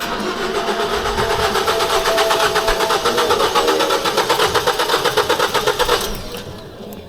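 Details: 2014 Ford Focus, no start after timing chain cover replaced (broken by failed engine mount), supposed crank sensor code: even starter cranking about four beats a second that never fires; crank pulley/balancer positioned out of time, repositioning it fixed it.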